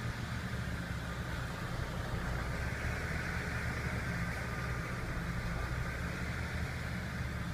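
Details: BMW petrol engine idling with an uneven low thrum; rough idle suspected to come from a faulty variable valve lift motor, not confirmed.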